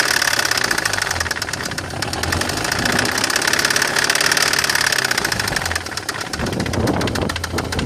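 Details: BMW E46 318i M43TU at idle: rapid steady knocking running through a smooth idle, above the engine hum; owner suspects the chain tensioner, unconfirmed.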